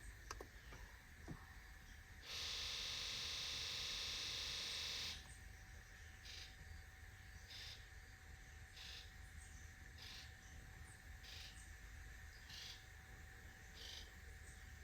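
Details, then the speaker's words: Injector buzz test on a 7.3 Powerstroke that sat 4–5 years, low battery voltage, no stored codes: steady electric buzz then short even buzzes pulsing in turn; injectors firing normally, sounds healthy. "sounds good it sounds really healthy sound good anything else let's not worry about anything else"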